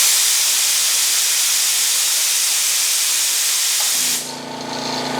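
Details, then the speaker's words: Powerhouse 1 hp oil-less air compressor on auto: steady air hiss, then motor cuts in with steady hum at around 85 psi, recharging to 120 psi; normal pressure switch cut-in. "there at around 85 psi automatically enough turn on the motor right now it's charging again until it reaches 120 psi"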